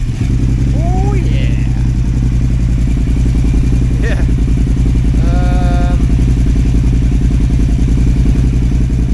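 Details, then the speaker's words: KTM 950 Adventure S V-twin after new air intake, rejetting and throttle position sensor reset to 0.55 V: steady even idle around 1,250 rpm, no hunting or stumble, holds as it warms; much better. "idle says nice. Around 1,250 RPM. And it's not fluffy. Seems a lot better."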